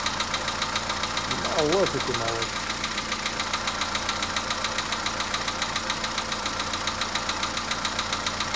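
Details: Polo Sedan engine at idle; even idle with a sharp, regular tick about three to four times a second, an engine knock whose source is not pinned down.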